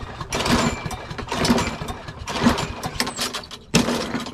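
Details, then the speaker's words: Craftsman push mower with Briggs & Stratton 650 series engine, before carburetor replacement: four rope pulls about a second apart, each a brief churn with no firing; no-start from carburetor fuel fault. "now when your lawnmower refuses to start there could be a few different issues or there could be a few problems as to why"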